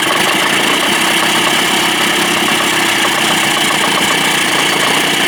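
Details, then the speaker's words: Tracey's Johnson 25 hp two-stroke outboard idling steady and even with no sneezing after a lean-sneeze fix without carb removal (slow-speed needle suspected clogged, throttle butterfly/idle nut adjusted); possibly missing thermostat; normal idle. "well I think that worked ladies and gentlemen thank God sounds good right"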